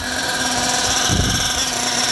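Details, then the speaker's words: Nitro RC car engine hot at operating temperature on high-speed passes, screaming with thin pinging that dies down and less exhaust smoke: lean high-speed mixture starving for fuel, richened by turning the needle counterclockwise. "you hear the pinging and then it dies down that means it's it's starving for fuel so we're going to rich in it and eliminate that"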